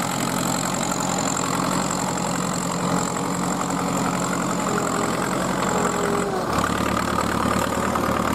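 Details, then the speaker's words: Vintage Fiat 70R tractor, about 50 years old, diesel, pulling a trailed plough: steady, heavy chug that holds even and deepens under load with no knocking; a healthy engine. "Qui sta arrivando e quando sentite così un rombo così Un battito del vuol dire che è un motore un ottimo motore che quella 70 lì Avrà già i suoi 50 anni"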